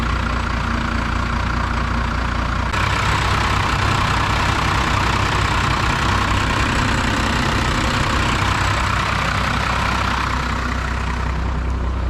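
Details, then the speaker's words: 1992 Dodge W250 first-gen Cummins diesel after power steering fix: steady idle clatter sags slightly as wheel is turned with one finger; pump loading engine smoothly, normal idle under power steering load. "check this out one finger and you can hear the engines idling down some it's actually using the engine to turn the wheel"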